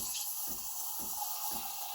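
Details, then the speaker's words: Breville Barista Express BES870, nearly new and repaired with a new valve: steam wand held at an angle near the milk surface gives the air-injection noise, a steady papery tearing hiss with a soft ripple about twice a second. Normal milk steaming. "This is like the air injection noise. It sounds like you're tearing a piece of paper. That's how people describe it."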